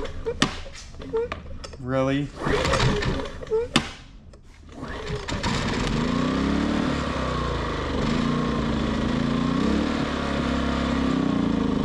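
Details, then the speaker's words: Westinghouse iGen 2500 generator after no-start: engine idles but pitch rises and falls every second or two; idle surging. "this thing doesn't like to idle it it does idle but it surges let you listen to it"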